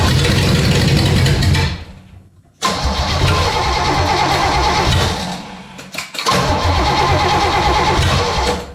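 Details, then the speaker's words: V8, down over a year, first cold start: fires and revs then sags and nearly dies twice; choke opening too far, timing slightly advanced (kickback) and backed off. "All right, our choke is opening up a little bit too much there."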